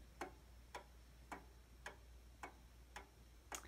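Crisp single ticks, about one every half second, evenly spaced over a quiet room; clock is in beat and running healthy.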